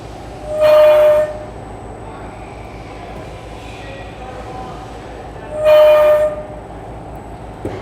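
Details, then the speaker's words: Bosch Rexroth CKK linear module with a servo-driven ball screw: a sharp, steady squeal near 600 Hz each time the carriage reaches the far end of travel, where the unsupported screw length is longest. It is caused by poor servo tuning, not a mechanical fault. "can hear a distinct squealing sound when you got down to this end of the travel now one of the things you might think is this could be a mechanical problem maybe there's something wrong with the ball screw at this particular point of the travel"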